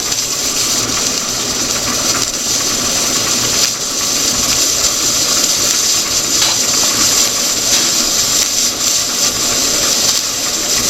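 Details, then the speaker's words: All American pressure canner on a stove with the weight set at 10 PSI: steady steam hiss and fast rattling chatter of the weight as it exhausts, indicating 10 PSI inside, about 240 °F; normal chatter. "As it gets closer, this is going to start to exhaust. You're going to hear it chatter like that. And then we know we're at that 10 PSI, 10 lbs of pressure inside, which means our temperature would be around 240° F."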